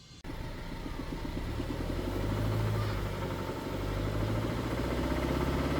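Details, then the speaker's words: BMW 320i E92 N43 engine after a rebuild, still misfiring on cylinders 1 and 3, developed a fast, steady knock about 80 miles into a drive that stays with revs; rod knock, shell bearings suspected. "Yeah, we developed a rod knock. So we drove it back, and so I thought, right, okay, it's the shell bearings."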